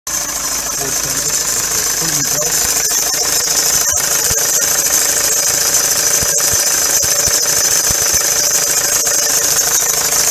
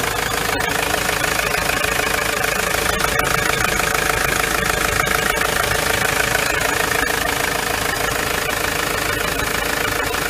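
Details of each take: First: Ford Transit van idling: constant high-pitched hiss and squeal from a noisy serpentine (fan) belt, common when a replacement water pump or pulley is fitted with an old belt; fixed by replacing the belt. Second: Ford Transit van engine idling steadily and evenly, with no belt squeal or chirp over the running note, after the serpentine belt was replaced. Normal idle.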